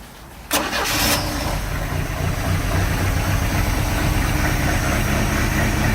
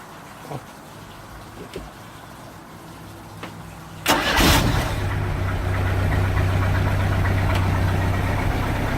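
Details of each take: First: 1986 Sea Ray boat engine running with water on, after the earlier noise was resolved. It catches and settles into an uneven, lumpy idle with irregular pulses: a rough idle, cause not yet found; compression check next. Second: 1986 Sea Ray boat engine after a fuel line leak fix: cranks and catches at about four seconds, then settles into a steady, even, smooth idle with no stumbling, misses or shaking; previously idled rough.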